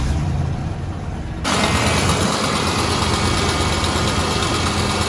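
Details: Ford F-250 after reassembly reusing the old belt setup, checking whether the squeak remains: engine catches and settles into steady idle with no belt chirp or squeal; normal idle.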